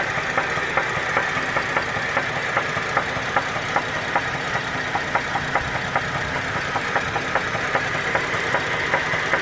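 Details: 2010 GMC Acadia petrol engine, 79k, codes P0300, P0301, P0303, P0305, P0193: steady sharp knock about two or three a second; cause unknown.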